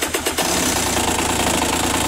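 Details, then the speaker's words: 150 two-stroke motorcycle with about 40 engine hours: harsh, raspy running with a ragged metallic rattle through the revs, source hard to locate; broken, cracked piston. "also selbst das hört sich an scheiße an man kann ja auch nicht identifizieren von wo das kommt"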